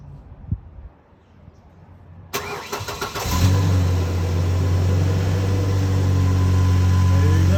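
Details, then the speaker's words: 2010 Ford Ranger started after the new fuel pump was installed and the battery reconnected, before the bed goes back on; the fuel pump was the problem. A short crank, then it catches cleanly and settles into a smooth, even idle. "go that's our problem now go ahead and put the cover back on here now that I know it runs"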